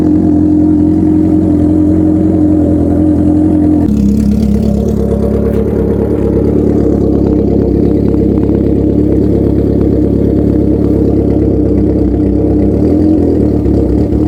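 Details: 1980 Kawasaki KZ650 LTD, restored, cold start at 25°F/-3.8°C after sitting outside, kick-started with jump box: steady full-bodied note holds an even idle and answers throttle blips cleanly once caught; normal cold running.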